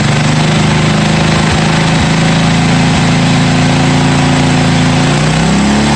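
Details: 1982 John Deere 108 lawn mower being built into a mud mower, first start after fitting a different carburetor and a new exhaust: steady, even single-cylinder note with a firm low drone and no misses or hunting; running smoothly.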